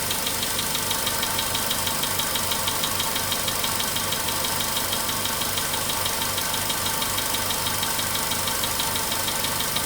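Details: Cold start of a VW Polo Sedan at 99,329 km showing 15 °C: crisp, even anvil-like ticking knock about three times a second over steady idle, locked to engine speed, fading as it warms over 5–10 minutes; engine knock worsening.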